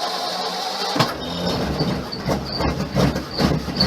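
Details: Flathead V8 in a never-restored car (Crusty Flatty project), SU electric fuel pump primed to the carb first: starter turns briefly, then the V8 catches and settles into a low, slightly lumpy rumble; first start runs fine.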